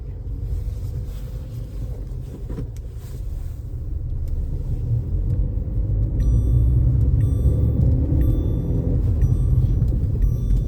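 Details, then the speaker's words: New Lada Vesta NG 1.6 122 hp with Chinese six-speed manual gearbox, test drive in second gear: steady engine and road rumble, no gearbox whine; noticeable vibration blamed on an engine mount needing replacement. "Гула никакого я не вижу. Вот я слышу только звук мотора. Гула от коробки я не слышу."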